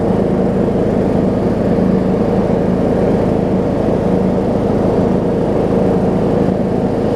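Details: John Deere D105 riding mower, 62 hours, revived after sitting an unknown time: steady, even engine note with a constant low hum, no misses or surging; now running smoothly.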